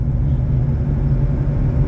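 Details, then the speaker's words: Chevrolet S10 pickup rolling on the road: deep, rough, constant roar under road noise; front wheel hub bearing worn and nearly seizing, felt in the steering wheel. "escutem Conseguiu ouvir rolamento do cubo dianteiro está praticamente travando o volante aqui"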